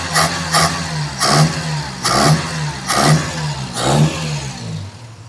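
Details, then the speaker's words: Ford Laser carburetor after cleaning and jet check, power-jet piston kept working, accelerator pump linkage not yet fitted: repeated snap-throttle blips each show a brief lag before revs climb; hesitation from the disconnected accelerator pump. "Kelihatannya sudah tepat karena saat di digas digas kejut ee terjadi jeda atau telat"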